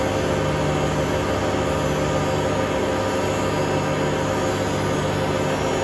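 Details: Hotpoint Aquarius WMA32 washing machine at full spin: a loud, steady roaring drone with hum, far too noisy. Owner suspects worn drum bearings or possibly a broken spider. Drum bearing roar at high spin.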